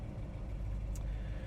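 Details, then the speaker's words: 1966 Pontiac Tempest on road, stopped at a traffic light: deep, even V8 rumble with no misses, stumbles or exhaust pops; idles smoothly without stalling or roughness. "you'll be able to see that or hopefully here that the car doesn't want to stall or die out or have a real rough idle and those are the important aspects and parts when you're when you're looking to purchase a classic car collector car so"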